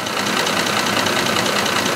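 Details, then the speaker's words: 2005 Ford F-150 5.4L 3-valve V8, fully warmed up, idling with a fast, constant, light ticking over the engine hiss, worn cam phasers; neglected engine with misfire codes and P0022 over-retarded camshaft code, audible even from the back. "just has that that constant ticking sound even back here you can hear it"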